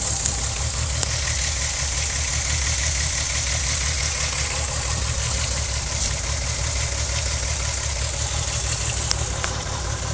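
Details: VW VR6 12V idling, cylinders 2, 3, 6 misfiring (mostly 3) despite new coilpack, plugs, wires, coolant temp sensor, purge valve; engine shakes with irregular low thumps and stumbles, check engine light blinking; runs smoothly while driving.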